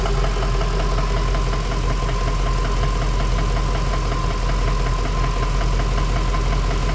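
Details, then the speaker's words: Ford BA Fairmont V8 after a timing chain job: steady idle with a dull knock two to three times a second, from the rear/centre rather than the timing front; owner suspects a worn piston pin; engine knock. "I can hear a knock. It's not coming from the timing. It's coming from back here."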